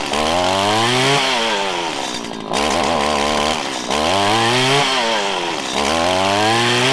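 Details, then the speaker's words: Small two-stroke weed eater revved in repeated blips while the low-speed mixture screw is tuned: it hesitates off idle when lean, then stutters and ramps up quicker as the mixture is enriched, finally revving out hard. "so it went from having an off idle acceleration issue you could hear it i gave it more fuel actually enrichened it and it stuttered and ramped up quicker"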